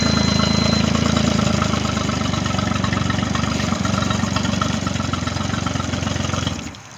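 Outboard fires and settles into a steady, even idle with a regular low beat, then shuts off cleanly near the end.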